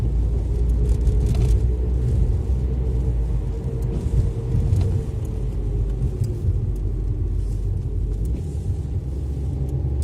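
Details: Alfa Romeo MiTo driving: faint whine over road rumble, rising and falling with speed, which began after driving through floods; eventually traced to a worn/damaged driver's side front wheel bearing, since replaced.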